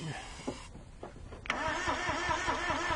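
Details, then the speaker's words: Carbureted car with a crank no-start and a weak battery: steady cranking at about 2.5 turns per second with no firing, even with fuel sprayed into the carb, so not a fuel problem. A repeat blown fuse is suspected. "hear the battery's really weak it's not even trying to start"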